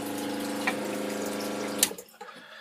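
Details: Repaired solar-shed water pump on MPPT-controlled battery system: steady even hum with water flowing, no labouring or stalling, then switches off cleanly, no fuses blown; normal running.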